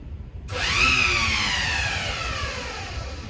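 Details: Pursuit S368 bow thruster motor after replacing a blown fuse at the motor: sudden start into a loud, high electric whine that holds steady and eases slightly; the thruster spins up and runs normally, though loud.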